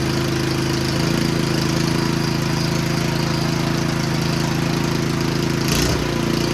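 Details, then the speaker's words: Snowblower, small single-cylinder engine bought used, tested before a transmission and auger check: it idles with an uneven, lumpy beat that never smooths out. It later pukes thin oil from the PCV breather; the owner wonders if it is overfilled. Rough running, cause undiagnosed. "I'll come back and revisit this because it may take a little longer than I anticipated to diagnose why it runs like that"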